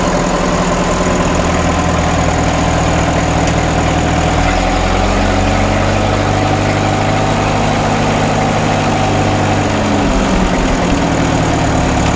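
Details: 1936 Caterpillar Twenty-Two tractor running after sitting for years, magneto previously not sparking, clutch not releasing: steady low idle thump, picks up slightly with a quick blip and settles back, no stumbles; carburetor probably needs no adjustment, healthy idle.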